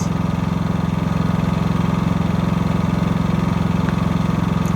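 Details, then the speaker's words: New Harbor Freight Predator 5000 watt dual-fuel generator on first run, on non-ethanol 91–92 octane gasoline: low, steady drone with quick even pulse at constant speed under light load, no knocks or surging; very quiet, normal running. "That's pretty dang quiet. Dang. I'm liking that. Definitely as quiet as it says."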